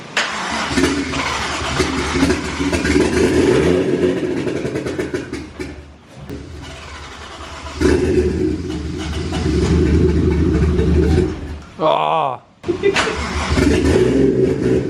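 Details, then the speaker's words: Toyota 1JZ turbo engine, newly installed with transmission, first start after water found in the turbo compressor: catches and settles into a loud raw idle with open exhaust bark and some unevenness; running as it should. "a is it idling yes there it is hooray finally"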